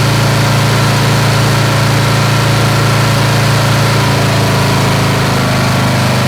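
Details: Snapper SR-Series mower with 10HP Briggs & Stratton single-cylinder engine, stored 10 years, after carburetor work and fresh treated fuel: steady drone at constant speed, no surging, misses or mechanical noise; running good and waking up.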